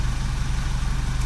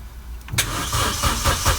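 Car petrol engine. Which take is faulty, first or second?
second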